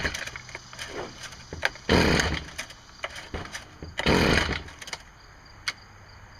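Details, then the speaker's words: STIHL string trimmer that won't start: two sharp pull-cord rips spin the engine, but it never fires or pops and the tester shows no spark light; no start from a faulty ignition coil, later replaced. "I didn't see any any light popping in there like I think I should have so I'm wondering if this thing is putting out spark at all"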